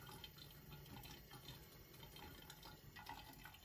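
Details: Malfunctioning 1/2" Watts No. A200 trap primer behind the wall behind a washing machine, stuck passing water: steady hiss and trickle of running water heard inside the wall.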